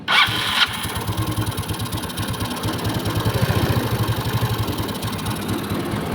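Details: Yamaha Mio scooter after bore-up, extreme racing cam swapped back to a standard one: cranks briefly, catches and settles into a steady, even idle with no ticking or knocking; noise gone.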